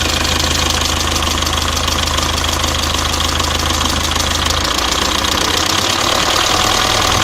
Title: Стук в моторе om601 2,3d